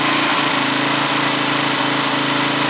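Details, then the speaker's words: Huoniao HN125 motorcycle, small single, after engine installation: ragged, unsteady beat with pitch dips, not revving cleanly as if fuel-starved; carb will have to come off. "but yeah that carbs that's not revving cleanly uh the cab will have to come off at some point"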